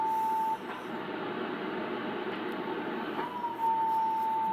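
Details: Drake R4C crystal calibrator board with replacement crystal after watch crystal failed: steady high beep cuts out, then after a pause glides back in and holds; replacement crystal slow to start oscillating.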